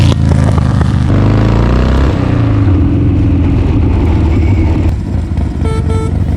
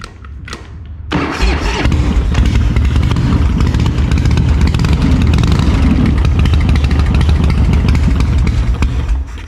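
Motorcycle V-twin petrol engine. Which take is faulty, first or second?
first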